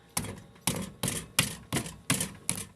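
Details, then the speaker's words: 2010 Fiat Palio, rear wheel area, driving over small potholes on rough asphalt: sharp metallic clacks about every half second, each dying quickly; a loose rattle from the rear suspension over bumps. "Esse é o barulho. Quando bate naqueles buraquinhos, uns asfalto meio safado que a gente tem aqui no Brasil, sabe?"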